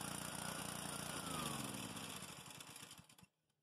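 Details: Honda GCV190 pressure washer engine after carburetor cleaning and new homemade gaskets, previously a no-start: steady, even beat, then slows and stops cleanly at shutoff; runs fine.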